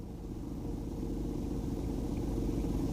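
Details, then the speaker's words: Car engine running, heard in the engine bay: low rumble with a loose buzzy rattle, previously traced with a selfie-stick camera to the loose radiator fan housing. "previously diagnosed this and I know that it's the radiator fan housing"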